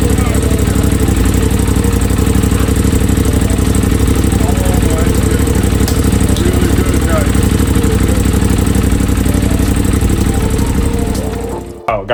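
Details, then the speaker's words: Crash-damaged 2023 Aprilia RS660 during its rebuild, first start before coolant was added. The fuel pump primed and it started right up into a loud, steady idle with even firing, no misses or knocks, for about ten seconds; normal idle. "This is really, really good. It started right up. It started right up. The fuel pump primed."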